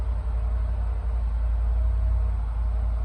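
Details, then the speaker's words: 2010 Land Rover LR4 5.0 V8 after TCM and valve body swap from a 2012 LR4 for code P0915 (ZF 6HP28); start then deep steady idle, no chain rattle or timing noise, no check engine or transmission light; healthy. "No check engine light, no transmission. Sounds good. Yeah, it does. No chain noise. No. No timing noise."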